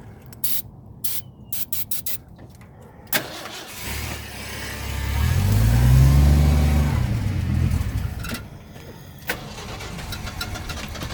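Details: 1979 Ford truck, carbureted, won't start without starter fluid sprayed in the carb: steady even cranking, briefly catches and revs, then dies back; cranks but won't start, pointing to fuel delivery.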